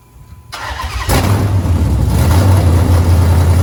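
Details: 5.7 Hemi just fitted with performance heads and long tube headers: fires up into deep lumpy idle with a sharp puffing tick on each firing; exhaust leak at the long tube headers.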